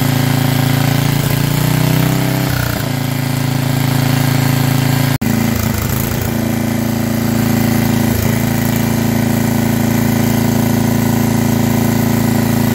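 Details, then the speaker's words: Estate-sale generator after hours of adjustment, dirty with settings off; steady drone with occasional stumbles and surges, still needing tweaks; main issue found to be governor arm tension. "so not bad at all it's working for now i still can tell it needs a few more adjustments"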